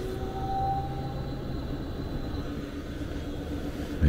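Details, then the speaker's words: Lennox furnace variable-speed ECM blower motor after replacement of the failed motor/module, all harness connections made, fan mode: steady low smooth hum with faint even tones, no thumping or surging, normal blower operation. "all connections all the harness connections are made beautiful that's how it's supposed to sound"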